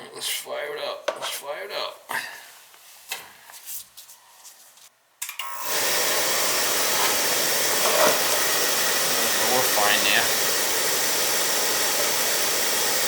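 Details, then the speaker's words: Utica TriFire oil boiler burner after service, fired with jumper: handling noise, then steady even roar as it lights and holds a clean flame, no pulsing or rumble; running clean, same-size nozzle refitted. "nice and clean in this how clean it is it's running good"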